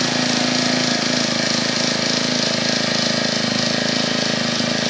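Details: Brand-new Honda GX25–35 class four-stroke grass trimmer engine at idle. A steady, even buzz with a clean, regular beat and no misses or rattles; normal idle.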